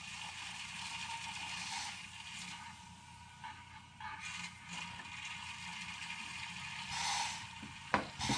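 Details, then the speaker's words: EWK 6.5-litre vacuum oil extractor draining warm engine oil (engine run 30–40 minutes, rested ten): hissing, gurgling suction with rattly bursts as the hose pulls air, meaning all oil is out of the pan. "if you can hear that it's just pulling air so we are good that is all of the oil out of the bottom of the engine"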